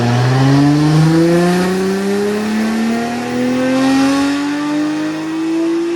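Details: Nissan R34 GT-R being tuned on a dyno: smooth full-throttle pull climbing steadily in pitch with no stutter. Power rose from 563 to about 652 after the tune added compensation tables and a new sensor; healthy.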